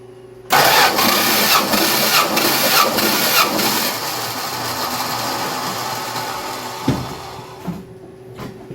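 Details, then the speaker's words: Plymouth Duster compression test with gauge in a spark plug hole, battery a little weak: starter spins engine briskly with even steady churn; about 140 psi reading, engine healthy. "All right, now we're gonna crank it over until we hear about at least 4 or 5 cranks."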